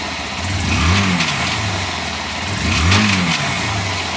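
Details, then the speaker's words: Honda CG Fan 150, engine cold: two throttle blips, a mechanical whir swells and climbs with revs then settles to idle; owner suspects a bearing, noise rises only when accelerating. "Bom dia pessoal vou mostrar para vocês um barulho aqui no motor da 150 ela tá fria barulho estranho parecendo ser barulho de rolamento só quando acelera aumenta"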